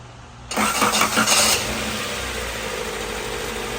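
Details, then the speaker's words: 1990 Honda Civic, 360,000-mile body, ZC DOHC engine swap, after fixing an idle air leak, intake not yet fitted: harsh, rough starter whir for about a second before catching into a steady idle; starter worn, likely needs replacing. "Yeah, the starter is awful. Whole starter, I think, is probably the first thing I would lose."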